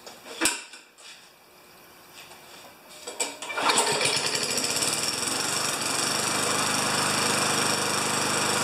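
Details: 29-year-old Rally electric-start mower, oil change still due, primed with three pumps per the manual: a few priming clicks, then it fires and settles into a steady, even putter with no misses; runs healthy.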